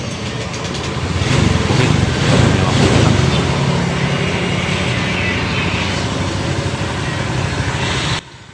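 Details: Honda Vario 125 scooter, brought in for weak starting when hot and overheating, after radiator pump and cooling repair, warm after nearly 30 minutes running without overheating: steady even engine note, smooth low throb, no knocks, rattles or hunting; normal running.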